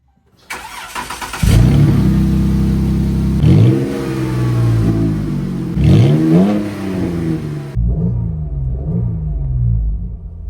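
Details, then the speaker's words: Jeep Cherokee bought wrecked with a bent exhaust, muffler removed: loud, deep open rumble blaring on each rev and settling to a throaty idle; loud exhaust with muffler off. "But of course, we gotta see what it sounds like before we put the muffler back on."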